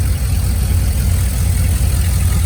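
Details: 2001 Silverado 5.3 V8 with turbo kit, after replacing the blown driver's exhaust manifold gasket with a metal one and adding a turbo blanket. Deep, even idle, steady low rumble, no ticking or puffing from the manifold: normal idle, leak fixed.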